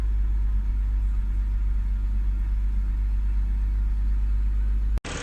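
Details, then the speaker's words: 2007 BMW 325i E90 inline-six, idling after cylinders 3 and 4 ignition-coil misfires were diagnosed and fixed, alternator also replaced: steady even rumble with no stumbles; running smooth. "So after a couple hours of diagnosing both of these, it's finally good and it's running smooth."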